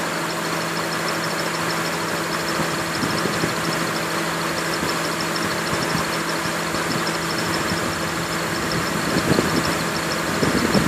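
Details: 2002 Honda Accord at idle with AC on: a thin high belt squeal. The low-side Schrader valve was leaking and only 0.5 of 1.5 lb R134a remained. Fixed by new belts and an AC evacuation and recharge.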